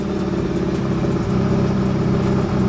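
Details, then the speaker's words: Roughly 30-year-old Nissan 240SX S13, just started after replacing the fuel pump and sending unit: the idle hum wavers and dips with a light tick on top; the idle is still rough and it usually dies on startup. Cause not confirmed. "the idle's still rough but usually on startup the car almost always dies because it just drops down"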